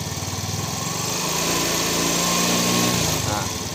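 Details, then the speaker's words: Yamaha Fino 125 scooter, previously stumbling and lacking power: idle fine, pulses pick up smoothly as throttle slowly opens, revs rise evenly without stutter and settle back; normal revving. "kita tarik pelan, sudah meraung dia."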